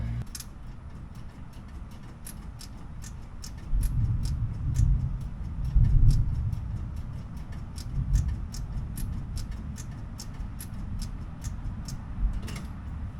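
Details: 1969 Corvette Stingray, 46K original miles, barn-kept, in neutral after a starter rebuild: no crank, just sharp fast ticking about four per second over a low hum; sounds like sparks, so the starter may not be at fault; a dangling fabric-covered wire was found.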